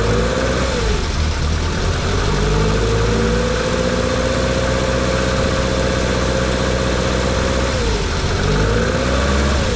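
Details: Lotus Elan petrol engine fires after choke and throttle cable free play adjusted and airbox refitted, settling into an even, steady idle with a couple of smooth revs rising and falling; normal start and idle, running cleanly.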